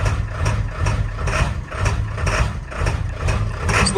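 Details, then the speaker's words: Ford 7.3L Powerstroke diesel with cold/hard start issue: rough, fussy idle with harsh clattering cackle and shudder surging about twice a second; scan tool showed the brand-new Motorcraft ICP sensor faulty after 50 miles. "okay so you can hear it kind of cackles it shutters it has some problems"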